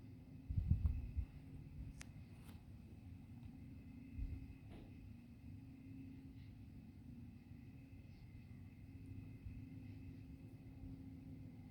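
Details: Faint, steady low-frequency drone under quiet outdoor background with a few clicks, heard from GM Milford Proving Grounds over 2 miles away; GM and township attributed it to tree crickets, which the recorder disputes.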